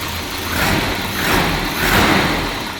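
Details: Volvo 740, cold start: uneven, surging idle, revs swelling and sagging every second or so; has always idled rough when cold, dies altogether when really cold, restarts fine; wet spark plugs noted.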